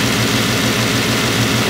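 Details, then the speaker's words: Bentley W12 engine at idle: deep, even idle with a soft steady pulse and no rattle or ticking; the earlier rattle is gone, idling smoothly. "Alter der schnurt wie ein Kätzchen heftig okay"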